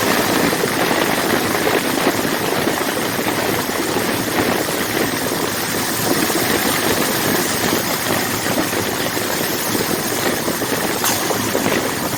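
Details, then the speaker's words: Rebuilt 1979 Ford F150 carbureted engine, warming up: idle lumpy and unsteady with uneven firing and loose rattle, as if about to stall; won't idle, no leaks found, cause unknown to the owner. "Everything about this engine works, except it won't idle, and I can't understand why."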